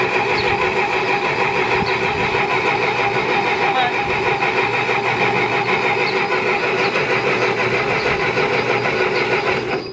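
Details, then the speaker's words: Massey Ferguson 65 tractor after sitting for years, gas poured into cylinders and sprayed in: starter cranks steadily about three turns a second but never fires; owner suspects carburetor/fuel delivery, plans new plugs, cap, wires, carb kit. "Well, it wanted to go before, but now it won't go."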